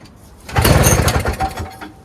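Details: Toro Snow Commander snowblower from the early 2000s, 7 hp R-Tek two-stroke single stage, 24-inch, primed. It has not run in this ownership, with a stripped starter bendix. A pull gives a ragged second of firing that sputters and dies, and it is getting spark, with a fuel system fault suspected.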